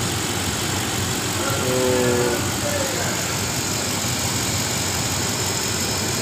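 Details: 2011 Toyota Land Cruiser petrol, being repaired for misfire: engine idles evenly around normal RPM with no stumble or skipped beats under a steady hiss; stable idle.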